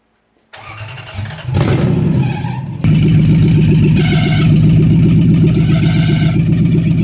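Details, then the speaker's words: 1UZ V8 swapped into Lexus IS300, first start on base map, no coolant, TPS likely uncalibrated: lumpy idle with rough metallic rattle from rear bottom of bell housing, worse releasing clutch; cause unknown. "when it started the first time there was a hellacious noise coming from the rear bottom of the bell housing area I'm not sure what it was"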